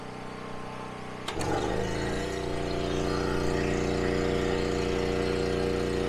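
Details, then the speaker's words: Larger generator powering a newly installed well pump via pump controller and fuse panel, breaker switched on first time with yard hydrant open; steady drone, brief thump as pump kicks in, then even hum; carries the load fine, water flows. "There we go. That's the first water out of the well pump."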